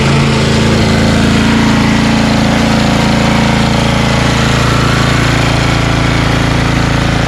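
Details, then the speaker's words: Snowblower small single-cylinder at high throttle, primed and choked, being run dry before storage: steady, fast, even firing with no misses or surging; runs cleanly on remaining fuel. "so let's uh run this dry from the obviously remaining fuel that's in there okay we'll just uh prime what's ever in here choke high throttle give it a pull let it run completely dry until it stalls"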